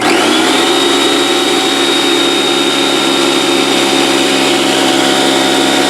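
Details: Porter-Cable 6-gallon pancake air compressor (1.5 hp, 3.5 SCFM at 90 psi), after repair of a broken copper line that had stopped it building pressure: a loud, steady motor and pump drone with an even high whine. It runs normally, reaching about 70 psi and holding.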